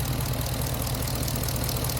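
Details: Hemi V8-swapped Jeep JK with new exhaust, after power steering pump replacement, before first drive; smooth, even low rumble at steady idle with no squeal or whine on top; engine sounds healthy.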